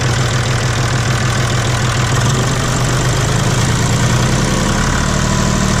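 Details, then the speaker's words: John Deere 5205 tractor diesel idling just after replacing the Stanadyne injection pump; even, steady clatter with no misses or stumbles, regular firing, no leaks seen; normal idle. "yeah she sounds really good doesn't look like i have any issues here or leaks or"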